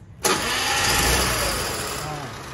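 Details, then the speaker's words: Piaggio Zip scooter after service for noisy engine: quick crank catches straight away into busy but steady idle, quieter than before; normal start and idle. "nah kelihatan suaranya lebih halus main ya Kelihatan suaranya lebih harus nggak berisik seperti di video sebelumnya"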